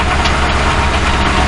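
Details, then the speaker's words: 2006 Crown Victoria Police Interceptor, microphone on top of the radiator near the catalytic converters; steady low idle, slightly uneven and shaky, engine shivering; rough idle, cause not yet found. "it's running, but as you can see, the engine is shivering."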